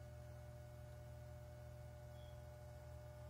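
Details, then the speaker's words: Cooler Master MasterBox 5 Lite RGB case with tempered glass side panel refitted; steady low hum with faint even buzz like distant hair trimmers; case panel vibration buzz. "I'm going to place this tempered glass back on the case itself, and as you can tell, there's that beautiful noise that just comes out."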